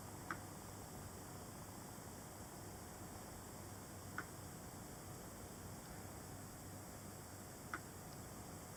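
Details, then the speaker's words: 2017 MacBook 12-inch, after the screen was replaced: three sharp isolated ticks from inside when opening and closing the lid. Something also moves inside when it is tilted sideways, and the noise has been getting louder; cause unknown. "Okay, the sound of this MacBook 12-inch getting louder when you open the lid."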